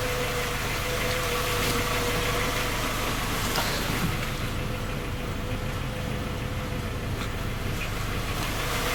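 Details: Skoda Octavia A5 facelift 1.6 MPI, engine knocking when cold despite three engine repairs that did not find the fault: cold idle with a steady light ticking knock, roughly three to four per second over the hum; cause not pinned down.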